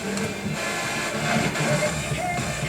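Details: Marantz 2230 stereo receiver, bought on eBay and not working as advertised: FM music comes through harsh, fuzzy and crackly, extremely distorted on one side; right channel output stage has failed emitter resistors, bias may need adjusting.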